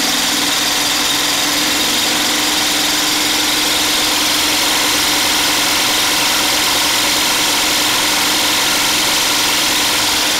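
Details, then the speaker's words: DIY 12V DC generator charger, gasoline engine driving an alternator, loaded with 500 W plus a 1500 W heater dummy load via inverter, engine about fully loaded: steady, even drone, no knocks or surging; normal running under full load. "the alternator should be outputting uh a good amount of power and the engine is about as loaded as it's going to get"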